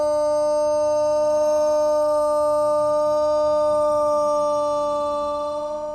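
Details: Thunderbolt tornado siren with bad bearings, still broken: holds one low, weak wail that never winds up to full pitch and starts fading out, as worn bearings drag the rotor.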